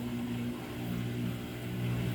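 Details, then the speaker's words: Samsung washer with 5E drain code, spin-only cycle: even low drain pump hum with a steady tone, no rattle or scraping; pump judged to have plenty of life left, normal drain and spin. "hit start oh that thing sounds good there's no rattle to that at all i don't know why these new samsungs have all that pause to them"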